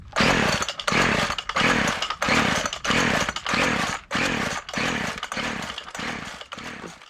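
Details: WeedEater Featherlite string trimmer pulled from a dumpster, full of water, no spark at first, choke on; repeated pull-cord strokes about every 0.6 s with no catch; won't start; owner plans a compression test.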